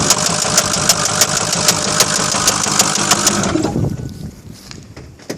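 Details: Ford F450 6.0 Powerstroke diesel, 136K miles, highway construction truck: sharp regular knocks about three per second over the idle, then the engine shuts down; owner unsure whether rod, injector, valve or high-pressure oil pump, unconfirmed.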